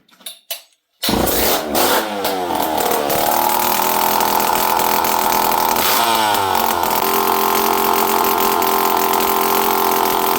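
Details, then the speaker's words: Old Poulan 5200 Counter Vibe chainsaw, first run in 5-6 years, with no pipe or muffler (wide open) and carburetor screw reset to about 1.25 turns. After a rough start it settles into a strong, steady high-pitched buzz with crisp throttle blips. Normal running. "thing's a beast, friends. Let's see if I can... Oh, man. Too much fun. These old saws are so much fun."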